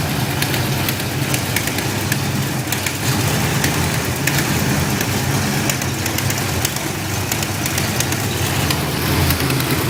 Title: 93 5.0 rough idle